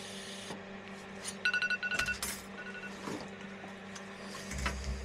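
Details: EWM Tetrix XQ 230 Puls AC/DC Expert 3.0 TIG welder, pulsed, rigid curve mode, fairly aggressive: soft hiss broken by a short run of quick even buzzing pulses; amperage lowered once the workpiece is hot. Normal pulsed TIG.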